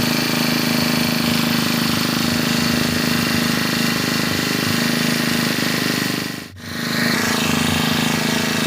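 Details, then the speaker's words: Brand-new GX25–35 class four-stroke brush cutter, fresh out of the box, idling up close to the mic. Fast, even idle with a steady buzzing note and no knocks or misses; idle speed runs high and the body vibrates. Normal idle. "รอบเดินเบาเครื่องจะสูงนะครับและนะครับเวลาที่เดินเบาไว้ตัวเครื่องจะมีอาการสั่นอย่างที่ทุกท่านได้เห็นนะครับ"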